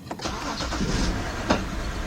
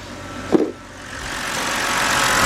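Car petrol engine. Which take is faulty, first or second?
first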